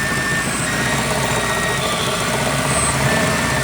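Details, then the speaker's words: Ford throttle body with IAC on a recently installed MPFI system, before repair. A loud steady idle carries a thin high whistle, from air rushing past sharp edges in the throttle body/IAC passages. It changes as the IAC opens and closes. "I mean I took it sound like a food plane all the different noise would come out of here whistling"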